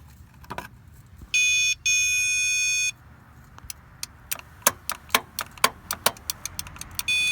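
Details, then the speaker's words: 1972 Pontiac LeMans GTO, 350 Pontiac, off the road since 2003: power probe beeps, then irregular sharp clicks with no cranking when current is fed straight to the starter solenoid; owner suspects a bad starter, and the battery went dead. "one more time for fun i think maybe the starter just sucks"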